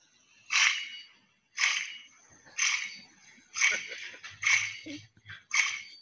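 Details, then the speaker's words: 2008 Dodge Grand Caravan, wheel spun on hoist: harsh, solid metal-on-metal grinding surging about once a second with a faint ring, a severely worn wheel bearing, extremely loud. "World's loudest wheel bearing. You heard that okay?"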